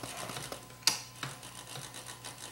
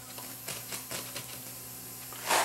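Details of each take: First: Vintage Toshiba SA7150 2-channel receiver after restoration: low hum and hiss with knob and switch clicks, and the controls now turn quietly with no scratch noise, though one still has a little noise. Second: Toshiba SA7150 vintage 150 W-per-channel receiver during restoration: irregular scratchy crackles over a faint steady hum as the balance control is turned, from a dirty potentiometer that needs cleaning.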